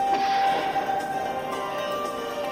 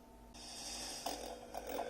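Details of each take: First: Panasonic 3DO FZ-1 after a recap to fix quiet, crackling audio that returned to normal only when warm; clear chime and startup music with no crackle, hiss or dropouts; repair successful. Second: Panasonic 3DO FZ1 console whose audio is weak until warmed up, after about a minute running: hiss swells in with scratchy crackles popping over it and the volume rising. Suspected failing capacitors; a recap is planned as the fix.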